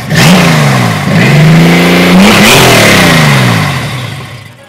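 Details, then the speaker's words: Baja 1000 street-legal dune buggy with 4.3 GM V6 and 4-speed manual VW Bus transmission, start-up: catches at once, blips up and down cleanly, then settles; firing even and strong, healthy. "Wow, beautiful. Sounds really good. What engine is it? It's a Chevy. A V6, right?"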